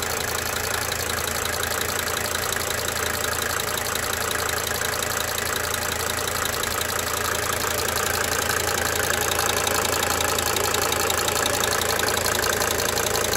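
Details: 1992 Mercedes-Benz 300D 2.5 Turbo diesel at idle: clattery idle with fairly regular sharp injector tick near three per second, swelling and fading in cycles.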